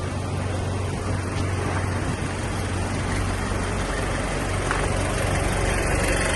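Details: 1995 Toyota Hiace 1KZ-TE turbo diesel idles with a heavy, uneven knock through its low rumble and emits white smoke. The owner asks whether it is a timing, fuel or valve problem.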